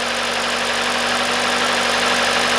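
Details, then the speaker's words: Hyundai/Kia 2.0 engine after timing chain, sprockets, VVT solenoids and exhaust camshaft replacement, restarted after all four ignition coils replaced: steady even idle, no stumble or missing beats; runs great. "Now let's start. That runs great."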